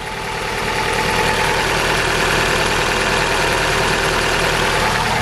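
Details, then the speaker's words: Astra Mk5 petrol engine idling, heard at the exhaust: a rough, uneven, stumbling chuff from a cylinder misfire. The car is hard to start, the engine light is on and it is losing coolant. New plugs and coil pack did not fix it; head gasket replacement is planned. "if I take you to the exhaust you can also hear it back here as well she's chuffing away like a choo-choo train and does not sound good"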